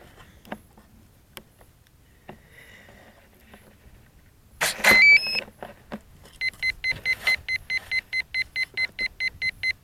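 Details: P1600 ESC on a model aircraft (wings previously found off-center) in a large mown hay field gives a run of short, high, evenly spaced beeps, about two per second; the cause is unknown, and it stopped.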